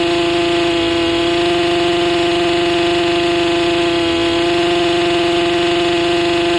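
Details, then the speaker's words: Stihl MS 261C M-Tronic chainsaw after a second carb rebuild with a full kit and M-Tronic reset, chain off; steady high-pitched drone that never settles to low idle, owner suspects too much fuel. "But uh it feels like it's feels like it's just not idling down low for some reason. It's just getting too much gas or something."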